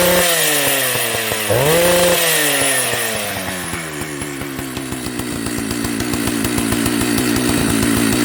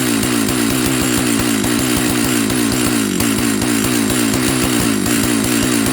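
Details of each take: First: Old Jonsered 930 project chainsaw restarting: it fires, blips up, then settles into a steady buzzing idle on its own, so it runs. The bearing underneath is dry. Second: Old Jonsered 930 project chainsaw restarted with covers on and bar oil added to check the oil pump: at high idle the revs pulse up and down instead of holding steady, cause unknown. The owner plans to reset the carb screws one turn out.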